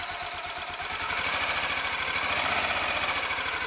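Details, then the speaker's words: Royal Enfield Electra X single after starter sprag clutch replacement and tightening a loose engine sprocket nut, started with decompressor: even idle thump, steady beat, no heavy knock; sounds much quieter and better than before. "we go I guess you'll just have to take my word for it that it sounds a lot better than it did"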